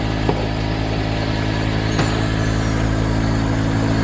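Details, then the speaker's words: Mercedes GL450 with engine running and lower-than-normal ride height: the air suspension compressor gives a steady low electric hum, running without pause while the body never lifts; a leaking air spring/strut is suspected. "I think the air compressor is somewhere here and I can hear it running so the air compressor is running trying to raise up the vehicle but the vehicle is not going up okay the suspension is not going up so we most likely have a leaking strut"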